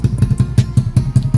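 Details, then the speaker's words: Grom-clone pit bike with new Nibbi 24 carb, warmed up, choke off: uneven stumbling thumps, engine falls flat instead of picking up; runs fine with choke on, so jets too lean and upsized later. Lean bog off idle. "the choke is off but what she's wanting to do is fall flat on her face right here you hear that"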